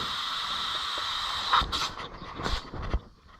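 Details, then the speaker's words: Punctured inner tube from a flat tire, inflated: steady high-pitched hiss running over a second; air escaping through a hole found with water bubbles, before patching. "yeah can you hear it leaking now the question is going to be are my tire patches any good"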